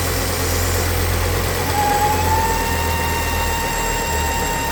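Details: Ford S-Max 2.5T (Volvo engine) at idle: a thin, steady high whine with strong crankcase negative pressure, caused by a failed PCV diaphragm in the oil filter housing; the fix is a housing or diaphragm replacement.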